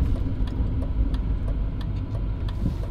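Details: BMW E38 740i on a cobblestone test drive after its air suspension dampers and bellows were optimized to remove noises: deep rolling road rumble with light taps, no knocking or clunking. The suspension now sounds quiet and sound.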